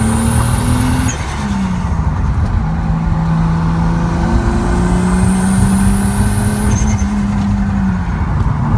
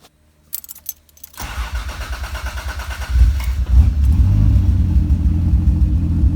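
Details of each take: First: Tuned Supra being revved while cleaning up the AFR map, new spark plugs: hard-pulling note with ragged stumbles at full throttle; misfire under load, owner suspects the new plugs and plans to re-gap them. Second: Toyota Supra engine at idle after cleaning up the fuel map, which had been running a little rich. Short starter whir, then it settles into a smooth, even idle with no misses. AFR should be about 15 but reads 16, sometimes 13, probably from the restart.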